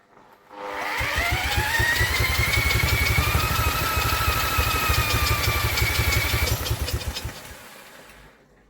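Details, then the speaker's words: Vintage Douglas engine, 40 years under a hedge, carb jets recleaned, cold start cranked by electric drill: rising whir with quick puffs about four a second, catching briefly but not running; suspected flooding. "see trying to start I believe she's trying to stop for us guys"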